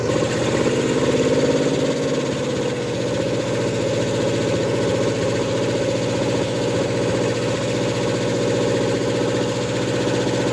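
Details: Ford F100 with a 302 and a Comp 268H cam during cam break-in: the engine runs steadily with a fast ticking knock of about three or four per second; valve train knock from valves adjusted wrong (incorrect lash), not the lifter first suspected.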